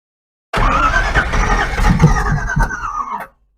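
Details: Long-dormant 283 small-block Chevy V8 in a Ford, rusted and previously stuck, after advancing distributor timing, electronic ignition: uneven cranking under three seconds with a few half-catches, close to firing but not running.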